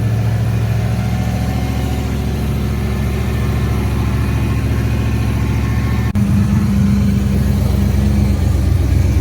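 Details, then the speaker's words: 1988 Holden VL SV88 V8 with the rear muffler removed for testing, running through a straight pipe: a deep, steady burble with a few blips and no tinny rattle. This rules out the rear; the middle muffler is suspected of the tinny rattle. "I couldn't hear any tinniness. That muffler, the muffler sounded really tinny, so sounds mint. That sounds good."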